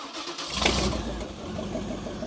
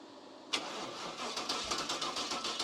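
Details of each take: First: Cub Cadet garden tractor with a swapped-in 305 Chevy small-block V8, first start after adding fuel, before the fuel pump replacement and a possible carburetor rebuild: catches after a brief crank into a rough but steady low burble, like a boat motor out of water; normal running. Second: Cub Cadet garden tractor with 305 Chevy small-block V8 and new fuel pump cranks with quick even pulses but won't fire. The fuel pump wasn't running because its ground wire fell off; once it was reconnected the engine starts.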